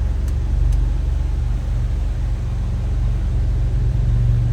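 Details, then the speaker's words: 1949 Willys Overland Jeepster with a 3.8 L GM V6 (possibly Buick), rebuilt carb and automatic transmission, already warmed up: deep, smooth, even idle rumble with no stumble or tapping; running fine. "All right, now you can hear it. Sounds like it's running pretty smooth."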